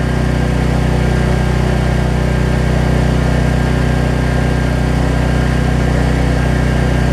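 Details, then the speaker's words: Troy Bilt generator after no-spark fix via low oil sensor module, output reading about 264, roughly 1500 W load plugged in: tune changes, then steady even low drone, no misses or knocks; holding speed under load. "you'll hear it change tune hopefully you hear that oh yeah [Music] this is about 1500 watts"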